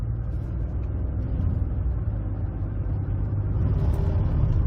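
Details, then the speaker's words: Ford F-150 with 6R80 six-speed automatic (6R75/6R80 family): low uneven rumbling throb under light throttle, like driving over rumble strips, appearing out of nowhere while shifts stay normal; torque converter clutch shudder, extreme example, confirmed on scan tool; fix is fluid service with friction modifier. "You hear it's like, it sounds like we're going over rumble strips. That's the best way to describe it."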